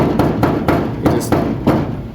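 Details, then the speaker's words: 1968 Dodge Coronet 500: sharp hollow taps with buzzy metal clatter because the hood skin's bonding glue has separated from its inner bracing, so it rattles badly on the road; planned fix is rubber spacers plus panel bond adhesive. "you can see how the hood and the glue has separated and on the road this thing rattles like crazy"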